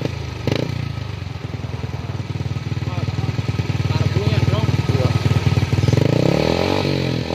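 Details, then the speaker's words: Yamaha Jupiter with gutted stock exhaust: loud open-pipe thump about three beats a second, uneven and lumpy; engine running rough, suspected carburetor problem or possibly a dead spark plug. "hasilnya udah masalah kayaknya dikarbu ya jadi mestinya dengan atau ah businya mungkin mati seperti itu"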